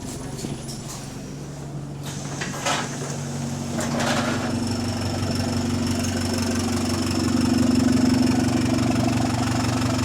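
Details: GAL SE152 bus on route 386, diesel at steady idle: even puffing beat about four a second over the engine drone; exhaust leak.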